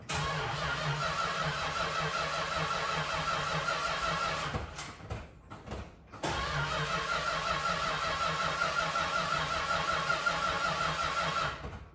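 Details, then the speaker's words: 1968 Dodge Charger, original 383 big-block V8, 3.23 gears, cold start after sitting six weeks following a hard burnout the owner feared damaged the top end; lumpy idle that stumbles and nearly dies before catching; rough running. "This incident did occur like 6 weeks ago, and it hasn't run since, so it's definitely going to take some cranking to get fuel to the carb, but I'm sure it'll start as it always has after that."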